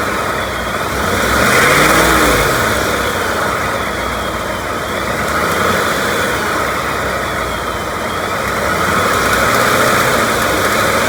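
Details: 2018 Ford F-150 5.0 Coyote Gen3 V8, revving slightly from 1,200 to 2,000 rpm: light ticking on top, absent at idle; owner wonders if it's the known BBQ tick, unconfirmed.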